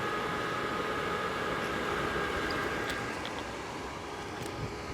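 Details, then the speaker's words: RV propane furnace: steady, even rush of blower and lit burner with a faint constant whistle, no surging or dropouts, with the sail switch holding better; normal furnace operation. "Wow. It sounds like it's spinning faster. Oh, I didn't turn on the gas, propane."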